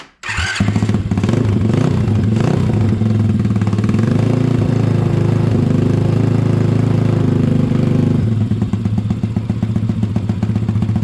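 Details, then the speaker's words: Honda ATC 70 with swapped-in Piranha 140cc engine, first start after the build and an oil fill: catches right away, steady single-cylinder thump about four beats a second, even, clean exhaust, not too loud; normal idle. "Just going to let it idle for a second or two. Exhaust sounds good."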